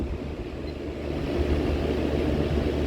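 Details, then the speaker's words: Vintage Vernco (Emerson Electric) 16-inch box fan model K-2, late 60s/early 70s, running on high: steady, even low whoosh with soft hum, no ticking or rubbing; healthy, as powerful as a 20-inch, just under 2 amps, 158 watts. "That's pretty powerful. This is just a 16-inch. It's pretty much as powerful as a 20-inch."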